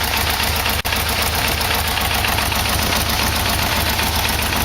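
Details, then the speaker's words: Yamaha VMX1200 V-Max V4 idling after an oil and filter change: fast light ticking about three to four taps a second over a steady idle; owner suspects the timing chain adjuster, source unconfirmed. "I can hear their little knocking in it I'm not sure what"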